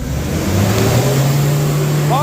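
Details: Nissan Navara diesel after injector repair for black smoke and lack of power, road test under full throttle: deep steady drone climbing smoothly, no knock or misfire; healthy strong run.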